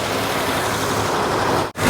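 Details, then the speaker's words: 1949 Ford flathead, abandoned in the desert since 1977 and freed from seizure by towing in gear: even, smooth engine note holding steady with no misses or knocks; runs cleanly. "listen to how good it runs that's that's amazing wow"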